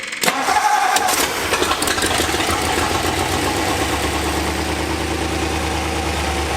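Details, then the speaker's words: 1964 Ford F-100, abandoned nine years, after a new fuel filter, a carburettor rebuild and new plug wires: it cranks briefly, catches and settles into a smooth, even idle. It idles cold without choke and without smoke. "that's idling with no choke and it's not even warm yet it's not smoking hell yeah dude"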